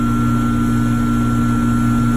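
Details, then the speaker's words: Trane electric heat pump package unit after a no-heat complaint, breakers reset, possibly a lockout cleared: steady even hum with low drone, no clicking or cycling. Blower capacitor good at 15 µF; running fine. "but as you can tell right now everything seems to be running fine"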